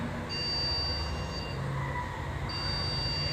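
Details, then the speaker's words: Desktop PC at power-on: long, high-pitched beeps repeating about every two seconds over fan hum, and the system won't boot. It is a RAM fault from dust on the memory. "So మెయిన్గా ఈ problem RAM వల్ల వస్తుంది. So RAM మీద dust కానీ అలాంటివి ఉన్నప్పుడు system అనేది open అవ్వదు."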